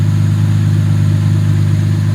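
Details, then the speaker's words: Jaguar MKII freshly rebuilt after full reassembly, running again with no miles: steady even deep smooth hum, no knocks or misses; owner suspects slightly rich mixture by smell and may lean it; normal running. "I think that sounds pretty good might be a little rich I might have to uh take the mixture back a bit cuz that does smell a little rich"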